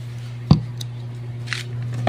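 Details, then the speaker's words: Unbranded DB built-in amplifier-speaker, bought new and used only two weeks, owner reports distorted sound: microphone tested, steady low mains-pitch hum with a few handling clicks and no signal getting through; amp hums but passes no audio. "So bagong bili ito, mga ilang araw pa, ilang linggo itong nagamit. 2 weeks lang na nagamit. Tapos may umuugong."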